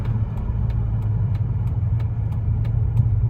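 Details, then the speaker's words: 1999 Dodge Ram 1500 5.2 (318) V8, 5-speed, idling with the clutch in after a drive, following an apparent fix for its long-standing misfire and idle surge tied to the O2 sensor. A steady, even low rumble with a light regular tick, no surge or stumble. "No surge. You guys could see when we first started it, that misfire was bad, but wow, I think we fixed it."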